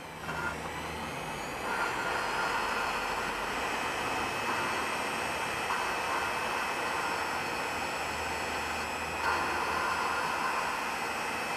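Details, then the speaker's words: Lapping an engine valve with a drill, vacuum hose and grinding compound: steady gritty grind that shifts in pitch as it runs, the sound wanted as the valve beds into its seat. "hear that that's what you're going for you're going for that grind you want to just tear that up and get into it"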